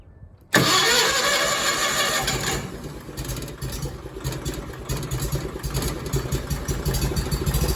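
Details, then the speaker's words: Miller Bobcat 225G welder generator, after an oil change, new fuel lines and a fuel pump replacement, with the choke pulled slightly: a brief crank, then it catches cleanly and settles into a steady, even idle, a healthy start. "There it is. It's at idle."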